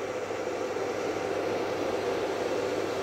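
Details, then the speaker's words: Desktop PC after cleaning dust-caused carbon off the RAM contacts and refitting one RAM stick: steady fan whir with no beeps, and the display now comes up. Fault fixed, normal boot. "देखें इसने beep हमें नहीं the है इस बार और यह देखें हमारे पास सामने यह जी अल्हम्दुलिल्लाह डिस्प्ले आ गया"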